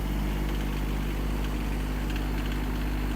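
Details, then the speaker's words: Kymron XH20D 3500 lb mini excavator with Yanmar diesel, cold snowy day, just started after warming the glow plugs: steady, even low diesel chug at cold idle, no knocks, misses or hunting, burping some smoke; normal cold idle. "burping out some smoke, but I think we're good."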